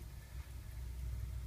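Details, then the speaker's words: Car that had a rough, varying idle from a misfire: now a steady idle hum with even revs and no dropped beats or misfire. "Entonces nosotros vamos a prender el vehículo y vemos que el auto ya no tiene esa variación en las revoluciones, ni se escucha que está fallando."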